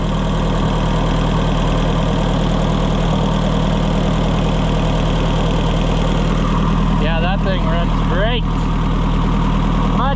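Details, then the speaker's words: Oliver 550 tractor after push rod failure, reassembled with valves adjusted, on its test run: steady, even low idle with a smooth, unbroken beat and no knocks or misses; the engine is running healthy. "Well, that's awesome. I never get tired of hearing stuff run good."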